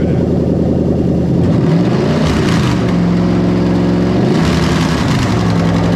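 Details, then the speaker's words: Lexus GS430 2005-2007 3UZ-FE VVT-i V8 on Link G4+ X-Treme ECU, plug-and-play harness for IS200 swap, after start-up with throttle blips: smooth, even V8 note rising and falling cleanly, no knocks or misses; normal running engine. "But right, so I'm pretty happy with everything on the engine itself."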